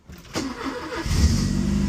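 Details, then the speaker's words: Porsche 944 after curing a no-start traced to bad gas (injectors and DME also replaced): brief crank, then it catches at once and settles into a steady, even idle; a clean start. "Starts right up. Oh, I feel it. I definitely do."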